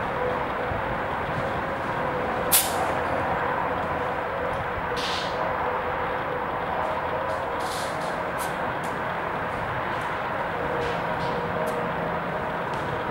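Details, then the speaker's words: 145 HP Warner radial aircraft engine, exhaust system removed, cylinder with low compression: steady airy hiss heard through the exhaust port with the engine stopped and a few clicks, compressed air leaking past the exhaust valve, lapped in place. "Now, I already had the exhaust system off of here, and it was quite obvious to me that because I could hear it hissing at least through the exhaust port or that area."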